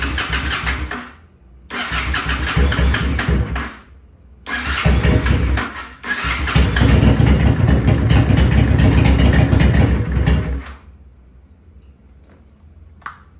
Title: Honda Shadow 2007 wont start without restricting air in take through carb